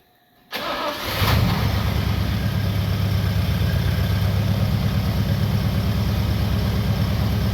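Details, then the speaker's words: 1962 Oldsmobile F85 all-aluminum 230 V8, original wiring, with new OEM points, new coil, added choke and Holley carburetor: starter cranks briefly, catches within a second, settles into steady even idle with no misses or knocks; runs smooth. "Runs nice and smooth."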